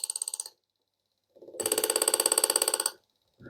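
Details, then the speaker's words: Front-wheel-drive car's ABS module removed and bench-tested on a tester over a customer's one-wheel-lock complaint: inlet valves fired front, rear, left and right with rapid even clicking, about three per second, nothing sticking; no blockage fault. "자, 막힘 현상은 없다는 겁니다."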